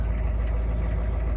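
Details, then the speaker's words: Diesel truck cold start in winter, after glow plug cycle with new glow plugs, lift pump audible, on mismatched batteries: deep, steady rumble with an even beat and no knocks or misses; normal cold-start idle. "just gotta let the glow plug cycle. You can hear the lift pump."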